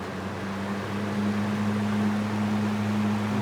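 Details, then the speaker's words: Small Fasco fan after motor rewiring and reassembly: steady low motor hum at one even pitch, no rattle or scrape; earlier noise gone, wiring correct and safe, running normally. "for now it's wired correctly safe it's not making that noise it was making before so I think we're cool"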